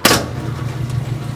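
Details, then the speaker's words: Kenmore washer that would not spin or drain, after a zip-tie fix of a suspected bad lid switch, set to spin: a click, then a steady low even hum with no rattle or grinding as the drain pump empties the tub normally. "Yeah, I can hear it draining. That's great."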